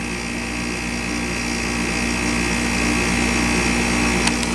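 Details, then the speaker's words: Westpointe MWDUK-05CMN1-BCK0 5,000 BTU window air conditioner (rotary compressor, R-410a), compressor just started and still building pressure: a steady hum over the loud fan with a soft refrigerant hiss and no funny sounds. It is running normally and ready to cool. "hear the charge going through there. No funny sounds. I mean, it's ready to cool."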